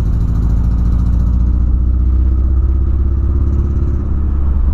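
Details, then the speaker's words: VW Polo revved after refuelling: uneven, choppy stumbling beat under the roar from a misfire; owner suspects spark plug, coil or clogged injectors, cause not yet found. "se liga rapaziada rapaziada se liga nisso mano como tá falhando e olha aí olha como tá falhando tá fazendo demais mano"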